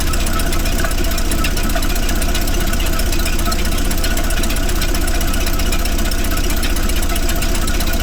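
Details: 1931 Plymouth after a warped front brake drum was repaired, brakes adjusted, gear oil done and plugs changed. It idles with an even, low chugging at about four pulses a second with no misses or knocks; it fired right up and runs smoothly.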